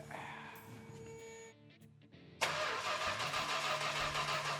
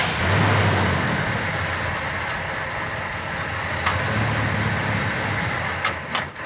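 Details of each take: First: Richard Petty Superbird, V-code 440 six-pack Mopar untouched since last running in the 1970s: quick, even, free cranking with no catching or grinding; engine spins over freely, not yet primed with fuel. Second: Richard Petty Superbird Mopar, not run since the 1970s, bottle-fed fuel with rotted fuel line and doubtful fuel pump: big engine running lumpy and uneven with stumbles and dips, likely fuel starvation; new fuel pump planned.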